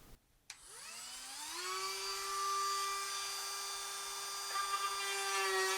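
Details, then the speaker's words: Rotary tool cutting a sound port in an acoustic guitar side: high steady whine with a rough chattering buzz. The bit extends too far, causing chatter; the fix is to retract the shaft. "You can hear it chattering quite a bit. The less of that shaft that we have sticking out, the better."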